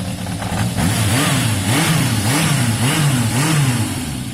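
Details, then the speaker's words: Warm Yamaha XJ550 after carb cleaning: low even idle beat, revs drifting gently up and down but settling; the idle seemed a touch low and was being raised. Normal warm idle. "I think the idle is a touch low. Let me lift that."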